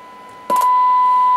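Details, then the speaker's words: Vintage 1980s Stabo XF-4012 CB radio, switched to AM with a generator at 30% AM modulation: a short click, then a clean steady tone with no crackle or drift. Clear AM demodulation, relay working. "here you see it is a nice and clear AM demodulation so that means our relay is working"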